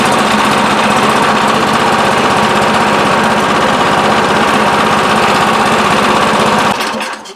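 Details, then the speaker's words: Craftsman 26 Quiet snowblower, model 247.886940, that came in as a no-start, after carburetor cleaning, loosely reassembled and choked: runs hard with a fast steady beat, then shuts off cleanly; cause was a gummed carburetor. "Alright, I'm satisfied. Let's finish putting it back together. So that's all it is, just a gummed up carburetor."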